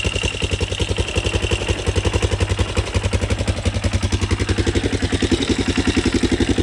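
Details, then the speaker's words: Yamaha Raptor 660SE quad running without a muffler, no longer smoking: a steady single-cylinder thump near 220 beats a minute with a light clatter on top from loose front motor mounts rattling. "But I'll start it up real quick and show it's not smoking anymore."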